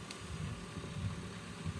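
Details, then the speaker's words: 1990 Porsche 911 CR-1 cassette stereo on the bench, untouched and dirty, playing a demagnetizer cassette: low, uneven rumble through the speakers from the demag cassette's magnetic wheel rolling; the deck itself runs normally. "That sound you hear is the magnetic wheel"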